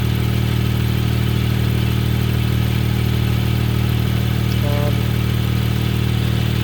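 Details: 2016 BMW M2 cold start with an M Performance exhaust in stock mode: a deep, steady idle with an even beat and no knocks, ticks or hunting. A vibration heard only on cold start and rev-down is said to be common with this exhaust.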